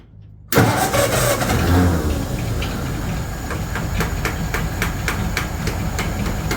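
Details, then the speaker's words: 1936 Ford 1½-ton truck, 8BA flathead V8, Stromberg carburetor with a replacement valve instead of the needle and seat: catches and runs unevenly with sharp taps as the carb is beaten on; carb leaking over and flooding, rough running. "oh man carburator is not happy again this doesn't have a needle and Seed in it anymore cuz I had so much trouble with it"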